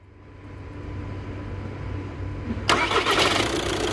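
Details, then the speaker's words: 2012 VW Jetta 1.6 diesel after repair, battery reconnected: short smooth crank for about two and a half seconds, engine fires and settles cleanly with no grinding; flywheel fine, starter healthy. "gene ucuz yırttın volantta bir sıkıntı yok Allah'a şükürler olsun arkadaşlar ses soluk yok"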